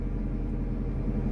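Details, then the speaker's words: Abandoned Mazda 323 Familia, B6 twin-cam four-cylinder petrol, just started for the first time in 5 years; low steady rumble with an even beat, no knocks or ticks, idling cleanly and sounding pretty good. "What a beast. And to be honest, it actually sounds pretty good. Not gonna lie."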